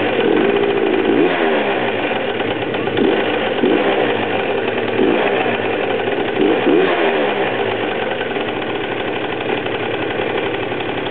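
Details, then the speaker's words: Super Vino small single-cylinder engine just after startup, putting along steadily with slight speed wobbles as it settles; the owner says it can idle all day. A healthy idle. "Now as it's running, it can sit there and idle all day long, literally."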